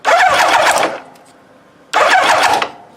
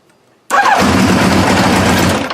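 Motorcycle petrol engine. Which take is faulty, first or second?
second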